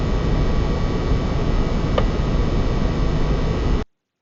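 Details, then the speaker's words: PS5 console fan (fan type A) after about 15 minutes of playing Demon's Souls, steady even airflow rush under load with no clear squeak or whine; normal fan noise. "so that itself is after about 15 minutes of playing demon souls um you can hear the fan noise and then this is fan type b and this is again under our plane conditions"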